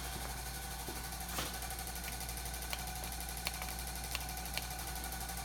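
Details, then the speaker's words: Garage door opener with cover opened near motor and electronic board: constant low electrical hum with scattered faint clicks, nothing moving; energised but not driving the door, owner suspects the motor, no reset button. "When I go inside, the motor, it actually sounds like it's the motor."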